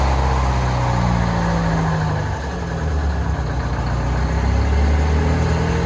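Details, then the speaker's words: Old two-stroke Detroit diesel in a folded-boom machine on an auction lot, idling: deep, steady, even low rumble with a slight rev, running clean and healthy; normal idle. "But I love the way that old two-stroke Detroit sound. I think we need one of these on the channel."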